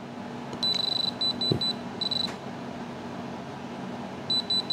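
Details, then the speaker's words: Diamond Selector 2 tester probing the outer-rim stones of a ring: clusters of rapid, high-pitched short beeps in bursts, the warning that the tip is touching the metal setting rather than the stone. "if you hear hear that that is hitting metal so you don't want to hit"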